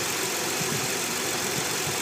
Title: 300ZX TT Vacuum Leak